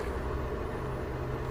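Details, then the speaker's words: UAZ Patriot ZMZ-409 engine after head-opened repair replacing hydraulic lifters and refitting the timing chain, which ticked only when warm: steady smooth idle with no top-end ticking, lifter noise cured. "короче вот столько теперь давление Теперь у меня ничего не [аплодисменты] шумит двигатель не слышно гидрокомпенсаторы побеждены"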